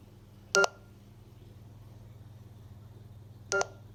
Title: Neato Botbac D3 beeping sound